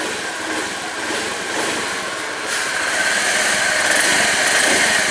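Small scooter engine catches and settles into a steady, even buzz with a faint rising tone, running normally with no misses.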